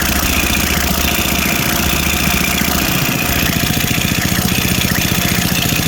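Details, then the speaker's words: Small single-cylinder snowblower engine running fast after cleaning, with a loose, rattly ticking a few per second over the exhaust beat; valve train clatter, owner suspects it needs a valve adjustment, not confirmed. "I'm going to go ahead and put this back together now that it runs and tell them it needs a valve adjustment and I'll look up the specs in the meantime"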